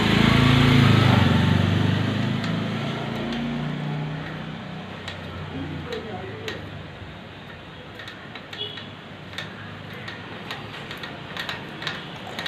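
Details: Bajaj Pulsar 150cc single-cylinder engine at idle: a light, even tick of nearly four a second over a dull idle; engine ticking noise, cause unknown.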